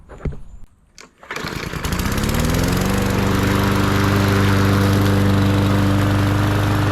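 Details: MTD 20-inch mower with Briggs and Stratton engine, previously hydrolocked with oil, test run after repair: pulls over, catches within a second, then settles into a smooth, steady run with an even drone; engine sounds healthy.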